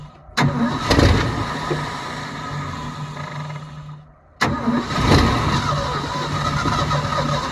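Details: 1972 Ford F-350 auction truck on a chilly day, bowls full: catches, runs raggedly about three seconds, sags and dies, fires again on restart; not pumping fuel, and a frozen part found afterward needs penetrant.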